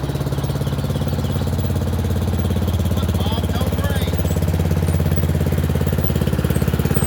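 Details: Murray Select 30-inch riding mower on a driveway test drive: an even, unbroken single-cylinder thump of about three beats a second. It runs okay and a little better; owner notes remaining carburetor and gas tank issues.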